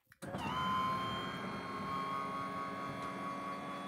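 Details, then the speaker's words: RV roof solar panel tilt actuators raised by remote: electric motor whirrs up to a steady, even hum and holds it; actuator running smoothly. "that that is my solar panels going up to an angle to be able to catch more direct sun rays"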